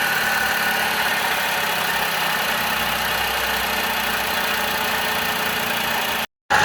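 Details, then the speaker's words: Car engine at idle: a faint constant whirring drone over the engine from a loose, worn water pump; replacing the pump fixed it. "This sound comes from the water pump. The water pump is loose."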